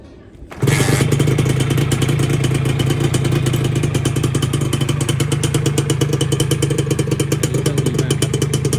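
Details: Original Thai-market Dash New, 2544-model year, started from cold: it catches within a second and settles into a steady, even, crisp idle with nothing untoward. The engine is described as very good.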